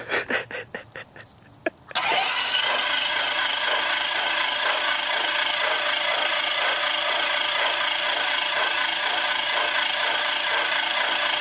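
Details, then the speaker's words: RV-7A with fuel-injected 180 hp Mattituck IO-360 (one magneto, one Lightspeed ignition), first start: wheezy starter cranking pulsing about four times a second, engine turning without firing while priming oil pressure. "It's kind of wheezy. Sounds like my dog."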